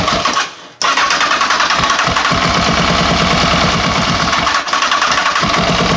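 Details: Honda CBR929 engine cranking on the starter: rapid regular knocking about five or six times a second, never fires; cause unknown.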